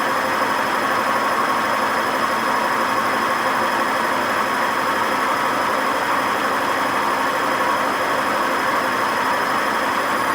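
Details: Washing machine spinning without ballast with a loud constant roaring rumble and faint steady whine throughout the spin: very bad worn drum bearing noise.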